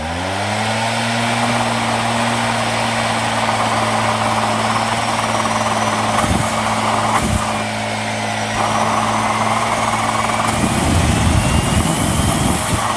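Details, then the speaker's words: Homemade jet engine with Arduino-controlled ignition and oil pump, failed test run: steady high whine with low drone and rough, uneven surges, then a louder ragged rush near the end; run not holding steady, cause unresolved. "but I will give you guys a little teaser with one of the failed runs."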